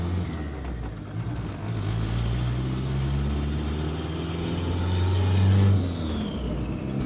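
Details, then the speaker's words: Rebuilt abandoned turbo Honda Civic on its first drive: strong deep engine note climbing smoothly through a pull with faint turbo whistle; runs clean and even, sounds healthy. "This thing sounds so good. super stoked that it's on the road, ready to go."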